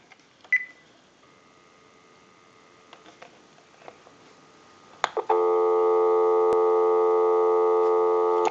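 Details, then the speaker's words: Sony SPP-ER101 cordless phone after repair of the handset charging circuit on the main PC board, line out via switch box. A few clicks, then a steady, even dial tone: normal. "Go ahead and give you some dial tone."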